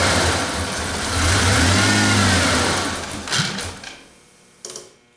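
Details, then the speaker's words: 1988 Ford Ranger after an intake cleaning, timing slightly off: revs up, sags and dies with a couple of sharp pops, an intermittent backfire; the idle fault persists and its cause is unconfirmed. "And yeah, I don't know if you folks heard that. It sounded like a backfire just a little bit there."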